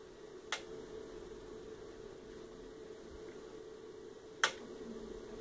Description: My Fanatec CSW V2 has yet another ticking sound coming from it.